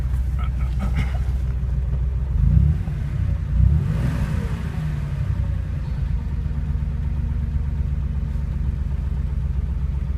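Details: Porsche 911 flat-six idling with a low rumble, then throttle blips; a faint knock rides under the idle, source not pinned down.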